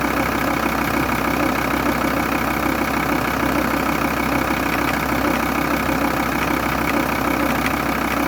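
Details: VW T4 2.5 TDI (AUF engine) diesel idling: fairly even tapping about three beats a second over rough clatter; abnormal mechanical noise, vacuum pump suspected defective, not confirmed.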